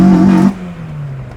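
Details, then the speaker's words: Rebuilt Acura TSX with check engine light and oil pressure switch issue, VTEC set at 4,500 rpm before being raised to 4,800 with a FlashPro: short hard pull whose intake note never sharpens at high revs; VTEC suspected not engaging. "I don't think VTEC is engaging. I don't believe VTEC is engaging, so we'll see how this sounds."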